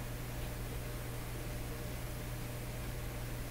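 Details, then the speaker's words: Clairtone console stereo receiver after adding extra power-supply filter capacitance: a steady low hum remains under quiet hiss, smaller than before but still audible; residual mains hum from weak power-supply filtering. "it's a little bit smaller i still hear it this just doesn't look the way i'm used to seeing hums"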